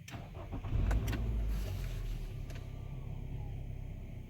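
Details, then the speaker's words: 2015 Nissan Altima 2.5 after repair for P0014 exhaust valve timing and P0300 multiple misfire codes with rough idle: cranks, catches quickly, settles into a steady even idle, no misfire, no codes returned. "he's running nice and smooth no more codes"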